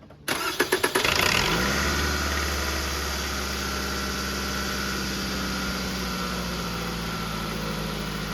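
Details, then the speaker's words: 2005 Toyota Camry LE, 2.4L 2AZ-FE, oil-burning engine, test start after a compression test with plugs and coils reinstalled. Quick crank, catches in about a second, then settles into a smooth, even idle with no misses or knocks; normal start and idle. "Okay, so it starts."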